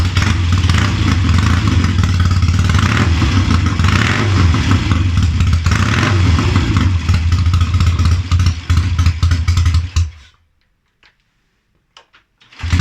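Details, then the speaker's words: Triumph Tiger 90 350 motorcycle with electronic ignition at first start-up after rebuild, earlier noted running on only two: lumpy, uneven tickover that hunts and surges then dies; poor idle and stalling before timing and tuning are done. "oh come on you were ticking over before [Music] come on you're embarrassing yourself now I had you sweet as a n come on"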